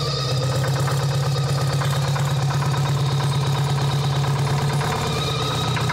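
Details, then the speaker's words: Champion motor grader with a Detroit diesel that sat locked up for 7 years, now freed, just after first start: loud, steady two-stroke diesel run with an even throb and strong low hum; running smoothly. "it ain't stuck no more it ain't stuck no more sorry started"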